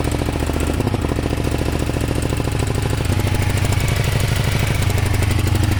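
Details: Kawasaki ER500 with white smoke: loud, lumpy, chopping idle with uneven beat and stumbling firing pulses; misfire, owner suspects a blown head gasket, cause not confirmed.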